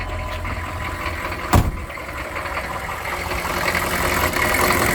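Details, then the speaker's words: 1996 K2500 6.5 turbo diesel after fuel line repair and bleeding: uneven idle with a sharp early pop that gradually smooths and picks up as air is purged from the fuel line; stumbling and popping stop once the air is out. "so there you go wood weasel back up and running it was stumbling and popping but as we got the air out it's fine now"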